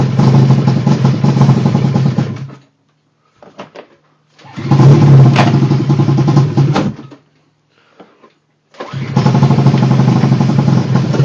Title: Rough idle